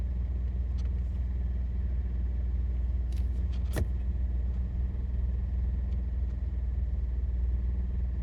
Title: 2017 honda accord sport rattle noise while idling, at a redlight and gear on "D"